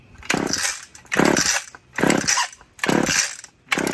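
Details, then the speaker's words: Old Stihl or Husqvarna chainsaw, long stored, choke on: repeated raspy cord pulls under a second apart and it never catches; hard starting, suspected old gas in the carb or a bad spark plug, unconfirmed. "That's the choke is on. It's probably just got a lot of old gas in the carb."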